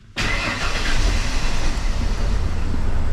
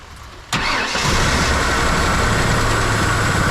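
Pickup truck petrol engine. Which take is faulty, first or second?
second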